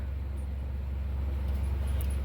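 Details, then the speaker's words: Kenmore Cool N Lite (GE Carry Cool) window AC as found, before cleaning or oiling: only steady low compressor hum, no fan whoosh; fan locked up while compressor runs, refrigerant apparently present. "I got it plugged in it will start fan is locked up compressor runs and I think we got refrigerant in here too"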